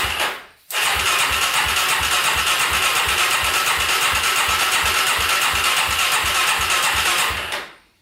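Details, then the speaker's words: Polaris Predator 500cc quad after fixing no-compression valve problem, carb primed with fuel, ~17th start attempt: catches quickly after cranking, settles into steady even thump about three beats a second; starts and runs cleanly. "that's what i'm talking about oh she started finally that was awesome to hear that oh man after what like 17 attempts finally started"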